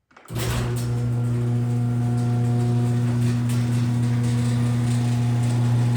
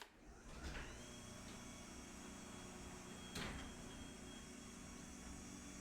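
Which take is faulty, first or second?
first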